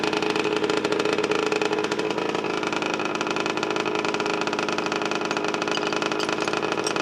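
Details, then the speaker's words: 1990 Honda NS50F two-stroke after sitting eight or nine years, on the old fuel, warming up; fired on half a kick with a clean plug: buzzy, crackly idle holding even with no misfires or stumbles; normal two-stroke idle. "this is the old gas I haven't put anything fresh in buddy that's alright I don't need it half a kick and it fired with a clean plug"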